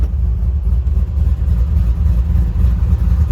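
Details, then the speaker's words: 2006 Toyota Tacoma 4x4 with a swapped, highly modified 6.0 LQ4 V8 and an aftermarket performance camshaft: low, lumpy, choppy idle with an uneven chop three to four times a second. This is cam lope, probably normal; the owner reports stalling on deceleration. "Like I said, the engine seems to be idling fine right now. It is pretty choppy, but that's probably normal with the camshaft that's installed on this engine."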